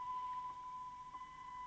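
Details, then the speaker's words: CVC Showcase video recorder after a new capstan drive belt and bearing work: steady playback tone wavers slightly in pitch with a faint shimmer. Owner suspects the capstan motor. Audio wow and flutter. "Okay, so we still have this problem with the uh wobble to the sound. that slight shimmer to the sound."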